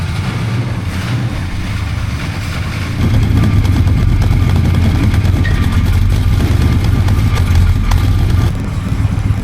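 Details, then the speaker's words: 1966 Coronet 426 Hemi V8 with dual exhaust with cutouts, air cleaner off, warming up: deep steady exhaust burble swelling slightly, even and smooth; healthy normal idle. "Give it a minute, warm it up. Sounds great, let me tell you. Sounds like a real muscle car."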